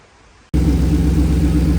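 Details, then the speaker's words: 1937 Nash coupe with 6.0 Vortec V8, after upgrading stock 26 lb/hr to 58 lb/hr injectors, Holley Terminator X Max, new plugs: catches and settles into steady deep even idle through loud Flowmaster-type mufflers; no fuel smell, healthy. "well it's running and it definitely does not smell like uh fuel anymore still has a rumbling sound that's the kzam muffers or flow Masters"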